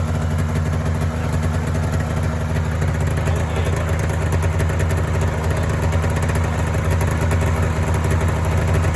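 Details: Polaris Indy 500 two-up twin-cylinder two-stroke snowmobile, first run after used-parts top-end rebuild and fuel system work following overheating, head gasket failure and a dead cylinder: steady, even idle with crisp exhaust pulse, no misfire or knock.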